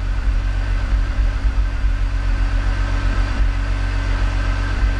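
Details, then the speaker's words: E46 BMW 3-Series, coil-on-plug ignition, cold idle just after startup: deep, uneven rumble that stumbles now and then before smoothing out; sporadic startup misfire that set a code, being diagnosed by swapping coils. "I can feel it shaking. I can feel the missing. It's not constant, but it's an intermittent. You can see the idle is kind of getting affected."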